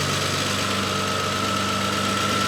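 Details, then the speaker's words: Renault 25 V6 Turbo cold idle after idle control valve repair, steady idle with faint constant whistle, speed holding without hunting or dying where it previously stalled; normal controlled idle, ECU no longer burning. "is it actually working I think it is this is definitely a controlled idle I can hear it change it definitely could not stay at idle before without this valve being cut off"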